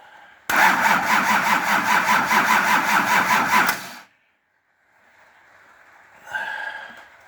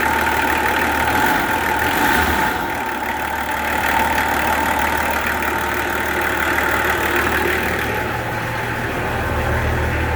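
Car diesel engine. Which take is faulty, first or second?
first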